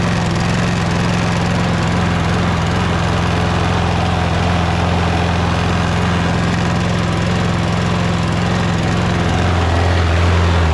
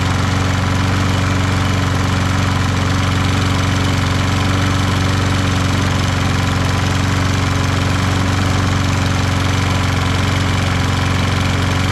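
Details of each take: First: Toro Recycler lawn mower with Kohler XT675 engine running; a faint rattle rides on the steady idle, which the owner suspects comes from the loose, caved-out middle front bumper vibrating. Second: Toro Recycler lawn mower with Kohler XT675 engine after valve lash adjustment, draining overfilled oil and cushioning the front bumper: steady even single-cylinder beat, no vibration rattle or buzz; running normally.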